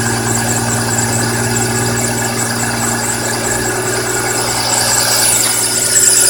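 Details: BMW E46 M3 engine: high, steady squeal with a scraping, chirping, grinding edge over the idle, rising when revved; source not pinned down, cause suspected but not confirmed.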